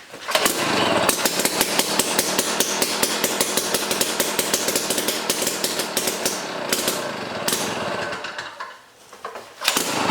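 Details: Jiffy Stealth STX 10-inch ice auger, 3 hp Tecumseh two-stroke, on old gas of unknown age, full choke: harsh uneven sputtering crackle dipping out at the end, very smoky; rough running.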